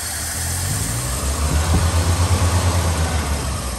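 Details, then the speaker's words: Chevy K10 squarebody with a one-barrel six, cold start after five to six months sitting, running rich with black smoke and a leaking head gasket: idle rises then falls into a rough, lumpy stall-like pulse. It stumbles on acceleration; owner suspects the accelerator pump. "oh maybe it's over her pump shot she wants to die every time i give her gas but"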